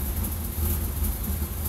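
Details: GMC Yukon with the catalytic converter replaced by a welded-in pipe, idling around 700–900 rpm: a low, uneven rumble that wavers, hesitates and stalls even when warm; codes show it running lean and the oxygen sensors reading wrong.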